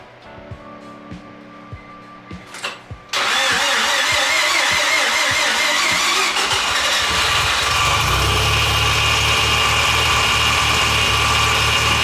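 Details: Mazda FD RX-7 rotary, rebuilt after losing compression, start after engine install with new transmission and exhaust attached: starter cranks briefly, then catches hard and settles into a loud, steady, busy rotary idle; normal start and idle.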